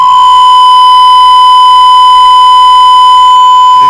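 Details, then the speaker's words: Acer laptop on Windows 8.1: steady piercing howl near 1 kHz at high volume, microphone feeding back through the speakers; fixed in Control Panel sound settings. "Qué es el problema cuando le sale este sonido ustedes suben suben el volumen y les empieza a sonar así de"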